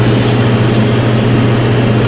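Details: GYS PTI resistance spot welder after calibration in auto C1, welding two steel pieces: loud, even, low electrical buzz steady through the weld pulse with no crackle or sputter; clean good weld.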